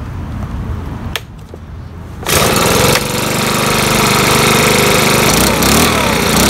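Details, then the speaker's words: Makita BHX2500CA 4-stroke blower after oil change with new oil; catches at once and settles into steady, even drone with no stumbles; normal idle. "so we'll do that real quick and see if it'll start up with the new oil uh let's try to do without"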